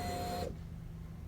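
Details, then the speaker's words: 2012 Nissan Versa that shut off at a stoplight and would not start: a brief electric whir of about half a second that cuts off cleanly, heard at key-on. Normal fuel pump prime. "and this is a noise of a good-sounding fuel pump right here so this is the Prime"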